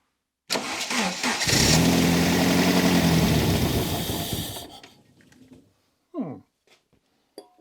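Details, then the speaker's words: 1980s Saab 900 Turbo Commander, first start after 10+ years, on starter fluid squirted in: cranks, catches and roars unevenly about three seconds then dies; fuel system not delivering fuel. "Oh yeah! That sounded really nice. I know it was just for 1 second. The fueling system is not delivering any fuel at the moment."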